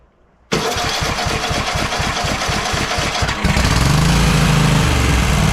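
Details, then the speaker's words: Cub Cadet XT1 lawn tractor engine after oil pan reseal and head gasket replacement, running with smoke from spilled oil: quick regular clatter about four a second over idle from one head; valve lash out of adjustment, then adjusted. "So, it's running good, but I think it sounds like the valves are not not adjusted, especially on the on this side."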